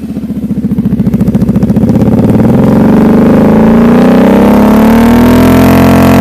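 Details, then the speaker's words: Kawasaki KFX 700 ATV after carburetor cleaning for idle and deceleration backfiring; revs cleanly with no pops or crackle, sounding as it did before the problem; owner believes the cleaning fixed it. "so so it it pretty much sounds like it did before um before it started having that issue"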